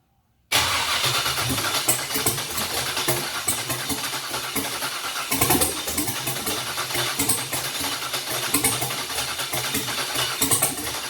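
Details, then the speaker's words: Junkyard LS 5.3 V8 on an engine stand runs with a loose, lumpy beat and uneven puffs; way too rich. "I got to fire up again like it did earlier in the video, and it was just too rich, way too rich."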